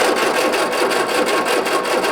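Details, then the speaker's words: 1967 MGB GT, positive-earth, Pertronix igniter, sat for weeks: steady starter churn, even cranking pulses about five per second, never catches; spark detector on plug shows no spark, crank no start. "stop. Go ahead. Okay. So we have no spark. So now we got to figure out what that's all about."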